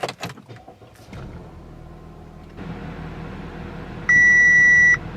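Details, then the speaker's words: Audi A4 B8: a quiet cabin, then one steady high chime under a second after the key goes in. This is the ignition lock defective warning, and the key symbol stays lit. Cleaning the key only helped briefly; the fix is replacing the ignition switch, part 8K0-909-131-D. "that is the issue right there ignition lock defective and then the key symbol stays lit continuously"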